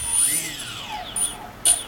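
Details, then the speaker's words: Brushless motor on a modified I2C ESC based on a Turnigy 18A Plush with patched firmware, at 200–500 Hz I2C update rates. Whine sweeps up and down, quickly tracking every command change. Normal speed response. "you can clearly hear that the engine is actually changing the speed all the time and if you're looking this number it's also changing and same time the engine is changing its speed"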